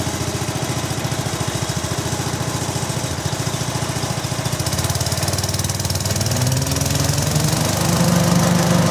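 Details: Restored 1972 Brott 320 flail mower with centrifugal clutch: engine chuffs evenly, then picks up speed as a rising hum builds while throttle raises rpm and the flail engages; smooth, steady, normal running.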